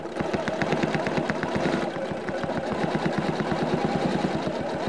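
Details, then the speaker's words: Janome CM17 sewing machine free-motion quilting with the Accurate Stitch Regulator after slowing down: steady even stitching clatter about eight stitches a second, no overspeed warning beeps. "okay I've slowed down a little bit you didn't hear any beep beep beep so it seems to be happy with me"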